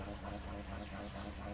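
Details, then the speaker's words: Maspion electric fan on speed 1 spinning weakly with a steady hum and rough rattly buzz; the shaft turns stiff and heavy in a dry, worn sleeve bushing, to be replaced with a bearing. "putarannya pun tidak begitu kencang dan EE Suaranya berisik ini bisa saya pastikan penyakitnya e ada di bosing ya"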